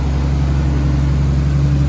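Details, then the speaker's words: Nissan R33 RB25DET Neo with solid lifters: deep, steady, even idle with no ticking, squeal, hiss, exhaust leak or timing belt squeal; normal idle. "No exhaust leakies. Sounds very smooth."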